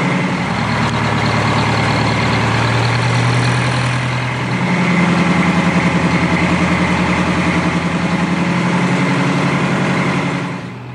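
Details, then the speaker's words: Detroit Diesel 4-71 after rebuild, idle rpm set: deep steady idle, pitch steps up briefly mid-clip then settles evenly with no hunting; normal idle. "the idle rpm was set right Adrian installed the buffer screw and then adjusted that until the sort of hunting the fluctuation in the RPMs is out so you don't have to have the the government bounce around a point"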